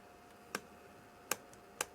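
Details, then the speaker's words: Xsoldering Pro dual-handpiece soldering station (JDI tools): sharp, isolated clicks, four in about two seconds, as the poorly glued, tape-held screen is pressed and shifts in its housing; loose display panel needing glue. "there's also something else i've discovered and that's the screen isn't very well glued on so you can actually i don't know whether you can see that you'll certainly be able to hear that"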